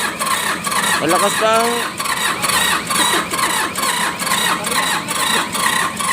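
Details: Mitsubishi K3E diesel in an MT18 tractor, before three pistons and rings were replaced: slow, uneven cranking of about two pulses per second that doesn't catch; hard starting from low compression due to worn pistons and rings.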